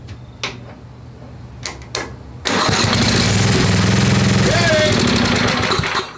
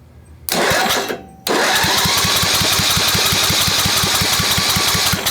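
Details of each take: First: Craftsman 10hp Tecumseh riding mower after head install and carb refit, water-damaged engine: few clicks, then single-cylinder catches rough about three seconds and dies; spark confirmed, owner suspects insufficient fuel or junk in carb. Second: Old Craftsman 10hp Tecumseh riding mower, rebuilt water-damaged engine, compression test cranking: steady even pulses about four a second; near 75 psi, enough to fire; air escaping blamed on messed-up valving, valve leakage doubted.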